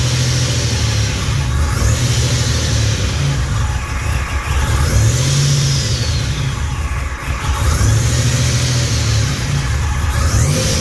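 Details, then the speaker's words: Fully built 3800 V6 race engine on its first start after the build: smooth repeated throttle blips, even, steady exhaust note, clean return to idle, no smoke or leaks; normal revving. "my um fully built race engine uh it's complete um first started was a complete success"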